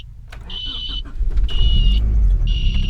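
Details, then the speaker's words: 1990 Honda Prelude idling after a new alternator, battery and belts. A high squeal about once a second over the idle, each lasting half a second. A belt squeak, source not yet pinned down; the tensioner is ruled out. "I'm sure you guys can hear that squeak under there. That is what we have to try and fix."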